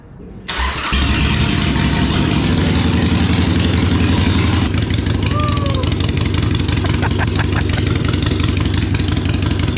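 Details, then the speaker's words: Used Harley-Davidson Iron 883 V-twin, first start after fresh fuel and a fully charged replacement battery: brief crank, then fires and settles into a strong, even, deep-throated lope; runs clean and healthy. "Luckily for us, cranked up, sounds good, runs great."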